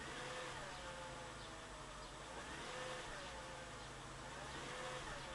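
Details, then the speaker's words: 2005 Mercedes-Benz W211 E55 AMG, light throttle blips: thin whine rising and falling with throttle over engine hum, owner compares it to power steering noise; a separate ticking is also noted; cause unknown. "I just slightly push accelerating and you can hear that sound that wind let me put it closer to the engine"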